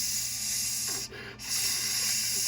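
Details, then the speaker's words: Truck driving at about 50–53 mph: a sudden loud, steady high hiss over road noise, dipping briefly and returning. The driver first feared a front tyre, but a cab air line was leaking at its snap connection. "I can hear this so I know I'm leaking air"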